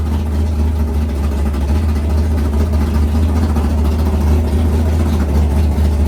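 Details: 500ci big-block Mopar built by Indy Cylinder Heads, in a 1969 Barracuda, first fire-up in the car: a deep, steady V8 idle with an even lope and no knocks or misses. Runs healthy, though the carburettor float is set high, possibly rich.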